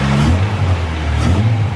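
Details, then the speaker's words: Honda Civic EG6 running for first time in two years, car jacked up with wheels off the floor: deep even revving rising and falling cleanly, no knocks or misses; engine runs fine. "3, 2, 1. It works! The Civic fucking works! Boys. Listen to that."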